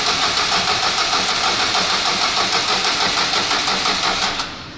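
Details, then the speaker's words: 2008 Renault Kangoo 1.5 dCi K9K diesel after cylinder head refit and timing belt replacement, first start attempts after fuel bleeding: sluggish, labouring cranking about three compression pulses a second for four seconds, stops without firing; battery running flat, put on charge. "так само ногу бачить на одненькій є і акумулятор як завжди хоче сісти"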